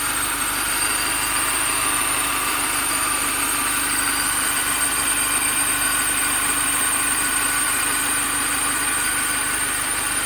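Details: 2005 Mini Cooper S at idle: steady idle with a thin, constant high-pitched whine from the belt drive; owner suspects the idler pulley, exact source unclear.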